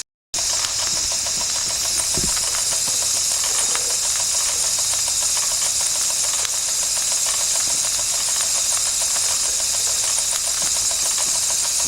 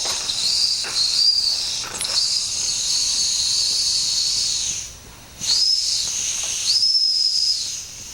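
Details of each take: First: 1992 Wilesco D400 live steam toy tractor, no. 447 of 600, running after a fix: a constant steam hiss with light, regular ticking from the little engine, running smoothly. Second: Limited-edition 1992 Wilesco D400 steam traction engine (#447 of 600) with known issues: thin, breathy high whistle comes and goes over steady hiss, boiler pressure still too low to sound it strongly; owner wonders if the whistle itself is faulty.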